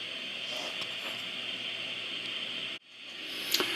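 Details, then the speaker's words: 2N217 germanium PNP transistor on a test jig with the homebrew test amplifier at full gain: only a faint, steady background hiss with no crackle or popping; a quiet, low-noise transistor. "this is a 2 and 217 germanium PNP and I've got the gain up all the way on the test amplifier and only a little bit of background noise"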